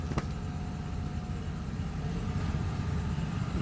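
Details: Opel engine idling with a deep, uneven knock of roughly three beats a second under the rumble; the engine had an earlier oil leak and visible damage inside. The cause of the knock is suspected, not confirmed.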